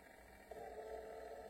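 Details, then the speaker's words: Battery toy Santa Claus motor (3 AA batteries, weak; wires torn from connector) runs with a thin steady buzz and faint strain, labouring; owner suspects gear teeth on the motor skip. "j'imagine qu'il ya des dents sur le moteur et qui a certainement peut-être qu'ils ont des problèmes ou qui fait que les danse saute"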